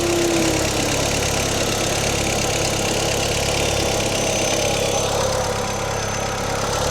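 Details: Audi autocross car started after sitting parked: loud, uneven, lumpy idle with a bad-smelling exhaust; the owner hopes the old gas running through the system is the cause, not confirmed.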